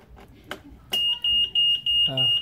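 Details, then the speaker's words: Yamaha Nmax with plug-and-play remote alarm module set to secure mode: switching ignition on triggers about six sharp high-pitched beeps; anti-theft alarm triggered as intended in armed mode. "ini kan mode aman seharusnya dikontak ini alarmnya bunyi ini juga akan"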